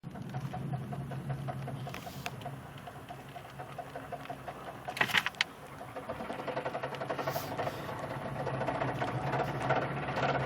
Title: knocking sound accelerating